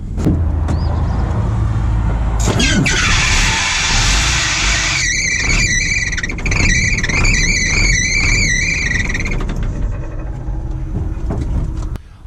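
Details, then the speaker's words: 1987 Ford F800 dump truck, driving: sudden loud belt squeal, high-pitched and wavering, pulsing unevenly over the engine; engine nearly stalled off throttle, rattle that morning. Seized fan bearing on the fan/alternator belt set; belts removed, fan bearings replaced. "so I was just driving down the road and all of a sudden the thing started having a belt squeal like crazy and I went off the throttle and I pretty much stalled the engine"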